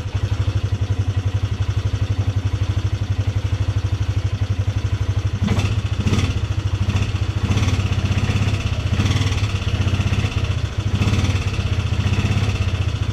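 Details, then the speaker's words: Polaris Sportsman 300 single cylinder at steady idle after timing chain and valve adjustment: light uneven ticks over the thump, seemingly from the top end; owner suspects valve tap, unconfirmed. "actually run but it still sounds like it's making that ticking sound sounds like it's coming right from the top end"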